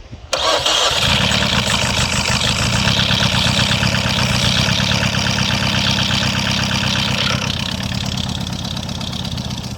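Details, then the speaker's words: Peugeot with a newly mounted used (Tokumbo) engine after head gasket failure, first start with old spark plugs still fitted: catches into an uneven, stumbling idle; suspected misfire, cause unconfirmed. "Oh, the sound is the exhaust that is making that noise, not oh. I think it's misfire."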